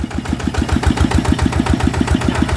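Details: 160 cc single-cylinder engine in for oil consumption and oil entering the head, running at idle: even thumping about eight times a second, no knock or gear rattle. Bearings and gears sound fine; leaking valves found as the cause.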